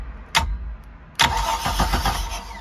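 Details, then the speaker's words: Mercruiser Thunderbolt V6 with Delco EST distributor upgrade, cranked while setting base timing with fuel pump disconnected, enrichment solenoid off and ignition off: a short bump, then even starter cranking with regular compression beats, no firing. "it's not starting because i don't have the carburetor hooked up or the excuse me the fuel line hooked up or the excuse me the fuel pump hooked up"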